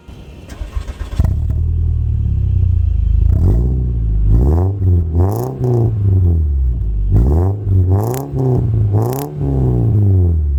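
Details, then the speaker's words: Baja Bob, a $3,000 old VW Beetle with a naturally aspirated 2-liter air-cooled four, first start on its new exhaust, mic by the exhaust: deep even burble swelling through clean revs and settling back; healthy. "God, I did not think it possible for normally aspirated 4-cylinder 2-liter to sound so cool. That sounds incredible. Wow, I am impressed."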